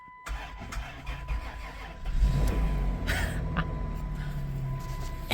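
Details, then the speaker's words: 2000 Chrysler Grand Voyager, 114,000 miles, sat 8 years in a swamp, belt cut off because alternator seized: short crank, then fires right up into a quiet, low, steady idle with no ticking or belt whine; normal start after long storage. "it fires right up. And it's so quiet. It's so quiet because nothing's spinning. It just fired right up."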